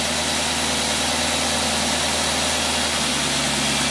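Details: Rochester boat carburetor tested on a running engine on a load rig: steady, even idle with a smooth low hum, no knocks, misses or hunting; engine runs cleanly.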